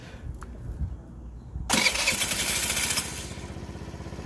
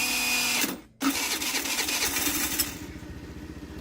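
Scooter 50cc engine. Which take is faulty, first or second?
second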